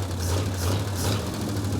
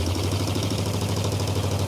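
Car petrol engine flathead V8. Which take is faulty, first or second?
first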